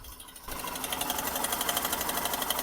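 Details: Hero Glamour XTEC BS6 motorcycle, 26,000–27,000 km, at idle: fast, even metallic sewing-machine chatter over the engine; oil level fine and no white smoke; loose or badly fitted timing chain suspected.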